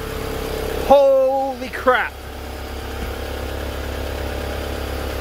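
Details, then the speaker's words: Honda Civic hatchback project engine at first start, run briefly with no coolant: it cranks, catches about a second in with a brief flare, then settles to a quiet steady idle with no knocking or grinding; idle after first start. "but it sounds really good i don't hear any grinding i don't hear any um you know no knocking"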